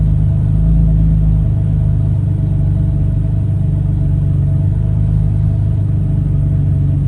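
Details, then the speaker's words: 2015 BMW F80 M3 with aftermarket AFP intake, cold start on a cool day: deep uneven idle sagging toward stalling then revving up; check engine light for running lean; replacing the intake cured it. "it goes close to dying and then it just revs up you know and the check engine light i had was for the car running too lean"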